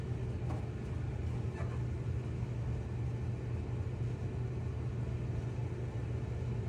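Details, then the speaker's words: Whirlpool/Maytag dryer after new belt and drum rollers installed, previously squealing/grinding; steady even low rumble, stronger and smooth, no grinding or scraping; drum turns healthily. "All right, a lot stronger and nice and smooth. No more noise."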